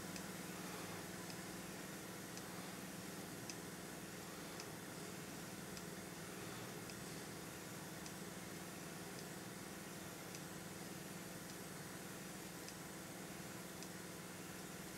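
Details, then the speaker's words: Sony TC-377 reel-to-reel tape recorder: faint sharp click about once a second over a steady motor hum, something in the tape transport catching each turn. "you hear something clicking? This one's clicking down there."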